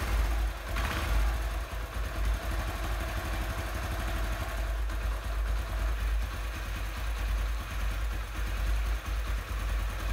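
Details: Honda CD 70 idling after carburetor cleaning for a missing, stalling idle: small single putters at a steady, even thump with no stalling or skipped beats; idle now clean and healthy.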